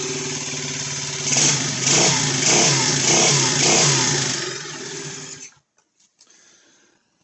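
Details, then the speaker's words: Roughly 90cc single-cylinder pit bike found on a rubbish pile, starting right away after a spark plug change. It revs up and down evenly, a little noisy in the top end while the oil circulates. Otherwise it sounds healthy. "yes straight away so it's a little bit noppy in the top end just give it a chance to get the oil around the place"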